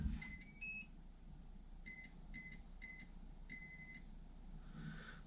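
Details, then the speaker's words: Prometheus blaster upgraded with brushless motors, two ESCs and an Arduino on 5 V, powered up for testing: both motors sync with a rising three-note tune and beeps, then stop. This is a normal ESC startup. "both motors will sync themselves, and you'll hear a number of beeps, and then it will stop,"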